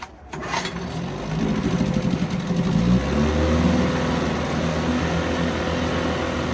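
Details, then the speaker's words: 1970 Evinrude 4 hp Lightwin outboard, probably not run for a month, started in a test barrel; it catches and settles into a steady, even two-stroke buzz with no misses or knocks: a good runner. "Well, this is another good runner. I'll shut the gas off now."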